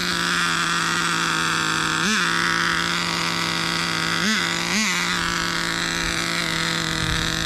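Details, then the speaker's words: Turbocharged nitro RC car under way, engine holding one high screaming pitch and never shifting into second. Owner suspects a burnt-out transmission or clutch, possibly also running too rich; not confirmed. "that thing is screaming I wish it would shift into second man that stinks"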